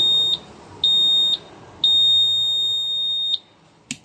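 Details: Repeating high-pitched immobilizer beeps, two short then one long, from a scooter fitted with a secondhand ECU that replaced a failed original; the remote and ECU ID do not match (S1 vs S2) and will not sync, so the ECU needs resetting.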